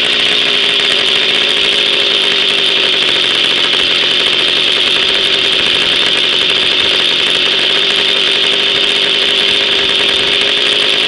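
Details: Jawa 50 type 05 moped, 1966 two-stroke engine, very first start after 20-year storage, rebuild and assembly, no cold break-in, original contact-breaker ignition and never-replaced coil; high buzzy drone at steady fast idle, no knock or misfire: normal running.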